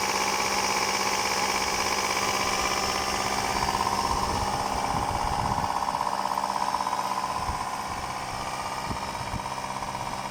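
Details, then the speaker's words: 1999 Subaru Legacy BH5 EJ201 boxer, fully cold start at −2 °C: light quick knock about two per second over idle, piston slap; driven a year with it. "когда смотрите двигатель холодный должен быть абсолютно холодный только на холодную вы услышите штук поршня цилиндра"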